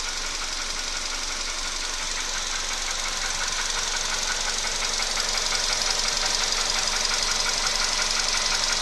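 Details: VW Polo Sedan at 28,000 km, knock recently appeared in the engine: fast, even ticking knock over a steady idle, following engine speed; source unknown.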